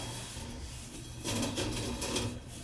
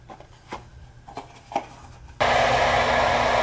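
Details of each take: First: Whirlpool gas furnace that won't run and makes weird noises: a steady low blower drone with an uneven scraping, rasping rub that swells in louder bursts. The blower wheel is loose on the motor shaft and rubbing. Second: Whirlpool gas furnace after replacing weak capacitor (reading about 17 µF, rated 20) for weird noises and not running: a few clicks, then blower starts a steady even rush of air, no rattle or scrape; running normally.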